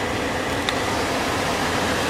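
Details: Car cabin blower motor reference clip showing how it should sound: smooth, even rush of air with no ticking, grinding or wobble; owner says the actual blower motor does not sound healthy.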